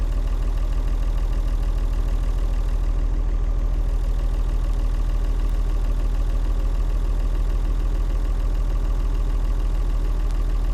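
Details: Vintage Leyland tractor with rare 698 six-cylinder diesel; deep, steady idle with even unbroken beat, no knock or miss — normal smooth idle.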